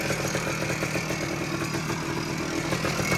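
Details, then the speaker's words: 1979 Suzuki PE250 two-stroke, revived after sitting a couple of years, idling without an air filter on 40:1 premix: loud and smoky but crisp, even, steady light crackle, no hissing or hunting, no sign of air leak; normal idle. "but without it having a filter it's uh idling nice thing is loud pretty Smoky too"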